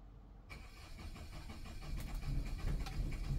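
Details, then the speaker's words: Generator on a 17-year-old Newmar Mountain Aire motorhome, restarted after it shut off for unknown reasons the day before, starts into a lumpy, uneven low rumble that never settles; rough running, owner suspects it is out of gas. "on oh that does not sound good that sounds like it's out of gas"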